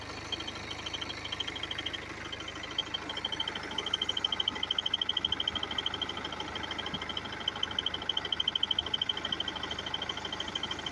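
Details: BMW F30 320d diesel abnormal engine noise: quick, fairly regular high-pitched ticking about three per second over a quiet diesel idle; cause not identified.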